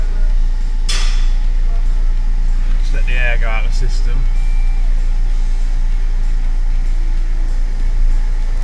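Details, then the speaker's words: Car restarted after its fuel system was bled, with a risk it might start then cut out: a deep, even diesel-like rumble that holds steady with no stumbling or cutting out; the engine has fired and idles smoothly. "Like I said, it might start up initially, then cut out, and hopefully it'll wind over a few more times and it'll fire up."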